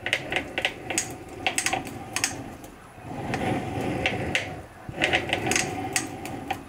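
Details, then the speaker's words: eRacing-Lab SFX-150 sim rig motion actuator, three months old: crunchy metal-on-metal grinding and clunks from inside one actuator on full up and down travel, at startup, in test and power-off reset; worsened from a slight clunk. "crunchy and nasty sounding it started as just a little bit of a clunk and now it's gotten much much worse"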